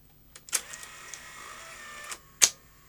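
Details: Technicolor/Funai CVC video recorder, probably a later model, with servo PCB: click, light motor whir about 1.5 s, then two sharp solenoid clunks as the tape laces up; normal lacing.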